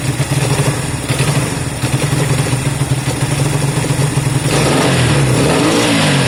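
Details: Honda CB200 twin just restarted after many months stored: low lumpy idle picking up cleanly into steady rev; normal idle and revving.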